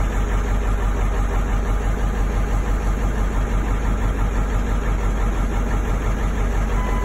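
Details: Ford 7.3 Powerstroke diesel V8 at startup: a deep, uneven clatter and a lumpy pulse of about three a second at a rough idle, cause unknown.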